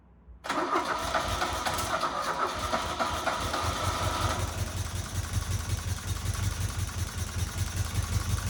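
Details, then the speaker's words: 1977 Fiat 124 Spider barn find, sat nearly 25 years, restarted with more squirted fuel after running out of gas, no radiator and water pump pulley disconnected: cranks and catches, then an uneven, pulsing low idle with lumpy beats; rough idle. "I can't believe it's actually running. Obviously not 100% right."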